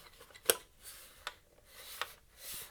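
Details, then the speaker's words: Faulty Bowens Gemini G500R studio flash that will not fire and has no display after earlier repair attempts: a few sharp, scattered clicks and light clatter as the unit is shaken, like loose bits inside; possibly loose LED lenses, not confirmed. "something rattling around inside, which doesn't sound good."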